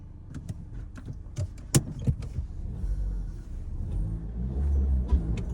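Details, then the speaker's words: 2012 Hyundai Elantra after replacing failed cylinder 3 ignition coil and clearing codes, on a test drive: a few clicks, then smooth low engine hum under road noise, no stumble; previously ran on three cylinders, now all firing. "Guys, I can already tell you that it's running great right now. Um, [Music] it was completely out on a cylinder. So, it was only operating on three cylinders. And now it seems to be running really nice."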